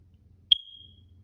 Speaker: does your smoke alarm battery need replacing you'll know if it does because the silly thing will be chirping like this one is just beep beep beeping away uh letting you know that it needs to be changed